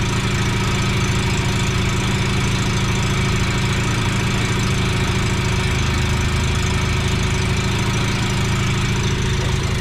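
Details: Mazda FC RX-7 rotary, restarted after fuel lines repriming and coolant clog cleared, no leaks: steady, even buzzing idle with constant low drone, no misses or knocks; sounds healthy though idling high around 2,000 rpm, suspected vacuum leak.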